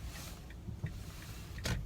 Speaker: Turning right. So you can hear that little sound of it canceling itself out.